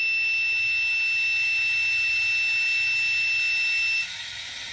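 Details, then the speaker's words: Normally closed adjustable pressure switch for a boost cut, tested with homemade boost leak tester and multimeter continuity buzzer: beep holds about four seconds before cutting out as pressure builds, recloses very slowly around 10 psi; switch too slow to respond. "so it's off to like ten psi but I can take this thing when it turns back on and it responds very very slow it makes contact again"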